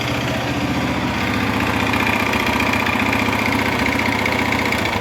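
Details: 2011 Honda Fan 125 motorcycle brought in with a loud engine noise. Loud, rattly idle with a clatter about three times a second. Disassembly of the head and cylinder found the cylinder and piston worn from lack of engine oil.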